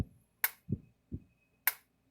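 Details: Lightning-damaged International Super 5000A Captivator electric fencer after roughly 70% board rebuild, fence tester across output reading around 9,000 volts: sharp snapping pulses about 1.2 seconds apart with soft thumps between; normal pulsing, good output.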